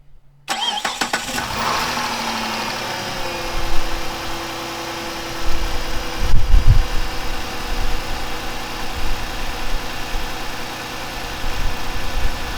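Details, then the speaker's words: Chrysler 300 after repairs for a blown-out front crank seal and a loose timing tensioner that caused a squeal, started without its air filter and before coolant was added: brief crank, then a steady, even low idle with no knocks or squeals. "There we go. There we go guys, it's running. There you guys go, it's running, the car's running."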